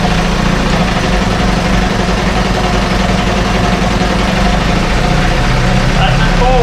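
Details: 1968 Evinrude Fastwin twin outboard, 52 years old, run in a test tank with no work done; steady, even low putter with no misses, knocks or rattles; normal idle.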